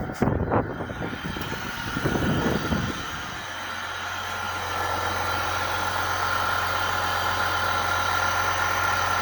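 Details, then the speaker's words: Chevrolet/GMC 3.0L Duramax diesel after coolant control valve replacement and valve learn: after handling clatter, engine settles into a steady, even idle hum with no knocks or misses; normal idle, coolant flowing. "Sounds like a motor. We got something happening in there."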